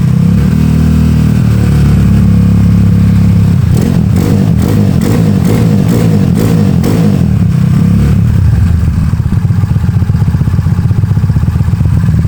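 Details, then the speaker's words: Honda Beat carbureted 130cc scooter after over two years of use, with racing exhaust, prepared for touring: crisp throttle blips rising and falling evenly, then steady even idle with no rattles; engine sounds smooth and healthy. "Ah, tadi gua gua udah tes tuh enak banget geberannya. Mantap. Suaranya juga halus. Suaranya halus, Guys."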